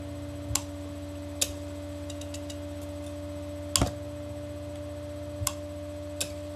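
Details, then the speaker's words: Bell & Gossett 1/12 hp pump motor, 1725 rpm, single-phase 110 V, 1.7 A, believed to have a centrifugal start switch: steady low hum with a few crisp separate clicks as the switch snaps over; normal. "you can hear that switch in let's take a closer look at the shaft"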